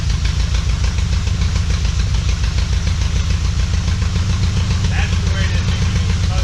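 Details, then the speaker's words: Shell Valley 1967 Shelby Cobra replica V8, after timing corrected from 28° to 10° BTDC and carb mixture adjusted: deep even idle, steady pulses, no lope, stumble, popping or backfire; no longer rich, carb may still need rebuild. "I still think the carburetor could probably stand being rebuilt, but it's not running rich anymore. It's not blowing fire out of the tailpipes anymore. It's not popping and cracking anymore."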